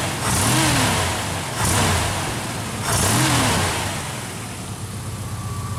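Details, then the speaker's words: Engine with distributor converted back from Pertronix to points, gap about 0.022 in, initial timing 10°, centrifugal and vacuum advance working: three crisp throttle blips rising and falling cleanly to a steady, slightly smoother idle; running well. "I don't know maybe it's just me but it seems to idle a little smoother with the points either that or maybe the timing was a little off before but running good"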